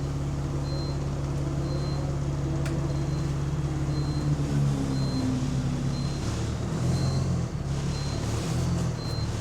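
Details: GAL E141 bus pulling away under load, turbo whine audible: deep heavy bass boom from exhaust swelling well beyond normal note; exhaust leak.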